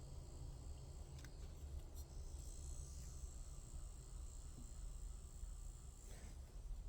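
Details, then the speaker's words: Noisy slow small electric motor after cleaning the bearings and spring, before lubricating and oiling: runs with a low, steady hum and faint high whine, no rattle or grinding. "that simply comes from cleaning the bearings and cleaning the spring now let's continue unplug it now we're going to use lubricant"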